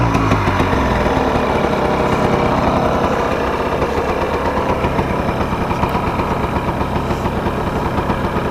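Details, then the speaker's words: 1999 Yamaha Blaster two-stroke quad at warm idle on 32:1 premix, after mouse-nest debris was cleaned from the airbox, reeds and engine and a fresh air cleaner was fitted. A loud, fast, slightly uneven burble holds steady with no knocks; the owner thinks the idle should come up a little. "sounds like the idle should come up a little bit but I think we're ready to go"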